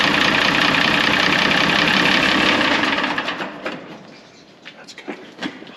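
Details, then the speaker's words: 1970 IH 1456 Gold Demo diesel tractor, first start attempt in about 14 years: steady cranking with fast pulses and odd firing spits, fuel audibly returning to the tank, not quite catching. "that is really and it was spitting consistently yeah and you can hear the fuel returning inside the tank that's that noise okay the suction the G the gushing noise you heard yep"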